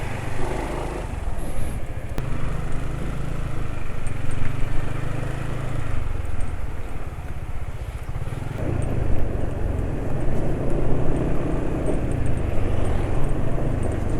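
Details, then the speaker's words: Engine running on Rock Oil with STP Oil Treatment additive, after riding home (144 km on the oil): deep, steady drone at constant speed with a coarse, grainy texture; still rough, engine braking sound only slightly reduced. "halus ya tetap ya tetap suaranya kasar engine break tapi jadi berkurang sedikit ya"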